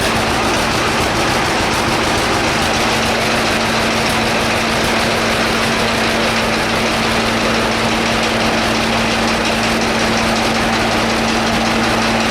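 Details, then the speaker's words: Idling two-cylinder engine with a heavy regular hammering knock on every beat, loud over the engine, like hammers beating on the block; it still idles really well. "Okay. As you can hear, that thing sounds like the hammers of hell beating on the side of the engine block."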